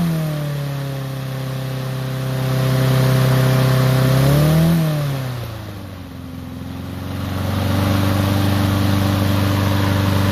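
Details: Troy-Bilt mower with Honda engine, after carburetor cleaning and draining water-contaminated fuel (fresh gas), previously would not start: runs fast and steady, drops and settles back smoothly with even firing; healthy, though high RPM noted as needing adjustment.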